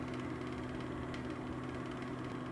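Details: Venta Airwasher, probably the older, roughly 10-year-old unit used for comparison with a newer LW35 that developed a rattling click: soft, even hum with a steady low tone and no clicking or rubbing; quiet and healthy.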